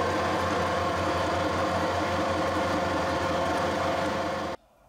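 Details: Harrison 140 lathe headstock at low speed, about 220–240 rpm, after adding spindle bearing oil pump, 75W90 oil, about five degrees: even, steady mechanical whir, no knocks or grinding; oil reaching bearings, running healthy.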